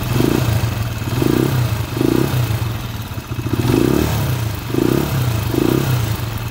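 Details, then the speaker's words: TMX155 single-cylinder motorcycle engine with a replaced timing gear, test run after reassembly: loud mechanical clatter with slow surges about once a second; the newly bought timing gear is suspected, with valve clearance and magneto play still to check. "maingay okay maingay yung andar mga kaabo parang ah alanganin yung timing gear mga kaabo na nabili ni bossing"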